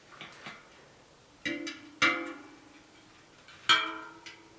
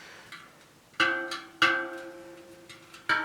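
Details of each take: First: Bent 29er rim (WTV ST130) from an On-One hardtail being trued: bright plucked spoke pings, mostly at a similar pitch, but one is clearly lower. That spoke has low tension, so the tension is uneven. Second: Bent 29er rim (WTV ST130) from an On-One hardtail, after tightening the low spoke: the plucked spokes ring at a matching clear pitch. Spoke tension is now even.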